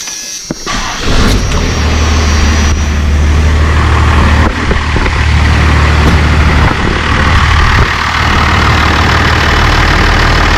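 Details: First-gen Cummins diesel started just after a fuel filter change and draining, checking for leaks: cranks and catches within a second, then settles into an even, steady diesel clatter at idle; normal, healthy start and idle.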